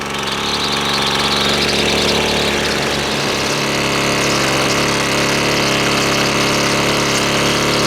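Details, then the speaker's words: Husqvarna string trimmer two-stroke, with a clogged air filter, high and low settings and idle not right: buzzy note hunts and wavers around three seconds, never settling into an even idle; lean running from a stiff carburetor diaphragm. "let's start it back up because it's obviously got problems with the uh high and low settings and the uh idle is not right not right for sure still"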